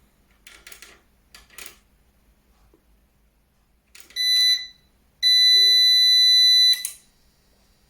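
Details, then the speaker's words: Eaton 5E 850i USB DIN 850VA/480W UPS running on battery during a drain test, powered back on after shutting off at 17%: two piercing buzzer beeps, one short then one long, on-battery alarm. "okay so it's on again let's wait for this thing to update it will take a bit yeah and again you can hear the beeping are you kidding me"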